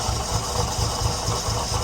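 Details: Nissan 300ZX, slow cold start, warming up: uneven, stumbling idle with irregular low thumps and sagging speed, idle improving when revved and warm; misfire dragging idle down, cause being tested, not confirmed.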